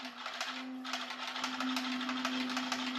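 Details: Brand-new H-1 Pro Series Ace R450 electric scooter at slow speed: steady tone near 250 Hz with an uneven scraping tick about twice a second as the wheel turns; a misaligned brake caliper rubbing the disc, fixed by realigning the caliper.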